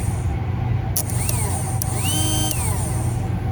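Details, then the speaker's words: 2004 Arctic Cat 400 4x4 actuator (0502-296), opened on the bench, 12 V jumpered past its melted relay: small motor whirs and stops at the limit switch, then reverses to the other limit switch; runs healthy. "so this direction is working fine but as soon as this is let off this motor should be spinning the other way until we hit this limit switch"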